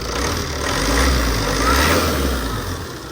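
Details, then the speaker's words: TATA 2.2 common-rail diesel (V3) that would not start, cam sensor code, after replacing the broken cam sensor connector/wiring: engine now idles with steady even low rumble, no knocks or misses; normal idle. "ติดแล้วนะใช้ได้ปกติลบโค้ดดูนะว่าโค้ดลบออกมในกล่องโอเคนะครับ"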